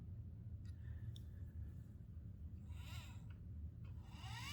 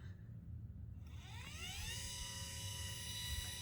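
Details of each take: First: Celestron CGX mount, one axis: harsh buzzy whine rising, holding about two seconds, then falling; gear mesh barking from a misadjusted motor mount, being fixed by turning the mount bolt 1/16 turn at a time. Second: Celestron CGX mount motor under load after loose motor-mount screws were tightened in 1/16-turn steps: rising whine settles into a smooth, steady tone, only a tiny vibration left, no barking buzz or rattle.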